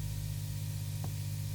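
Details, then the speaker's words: Quite old guitar amp with the guitar plugged directly in, bypassing the pedalboard and new Vitoos isolated power supply: steady low mains hum with faint hiss and a brief click midway; the hum comes from the amp itself. "and we can hear that that humming noise is still there. So actually that is the sound from the that is the sound from the amp. This is quite an old amp, so I guess I expect that."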